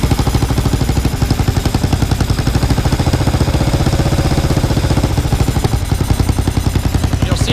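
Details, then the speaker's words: Kawasaki KLR 650 single at idle, with a cracked stock plastic choke nut and a suspected cap popped off: the steady thump speeds up when propane is fed near the leak, confirming an intake vacuum leak. "it jump up that's what you're looking for and then you turn your tank off when you're done so that's how to check for a vacuum leak"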